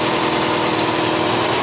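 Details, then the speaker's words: 1985 Cadillac Cimarron, all-original, 43,000 miles, base 2.0L four-cylinder, idled down warm: steady, smooth, unbroken hum with no knocks or misses. Owner noted a tube has come off. Normal idle. "gm one wire elevator but now she's idle down nice and smooth"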